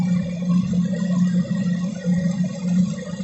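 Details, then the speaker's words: Crypto mining rig unit with metal case: steady fan hum with uneven fluttering buzz; cooling fans rattling, worth removing, servicing and cleaning. "The fans in them do get a bit annoying. They make this rattling noise."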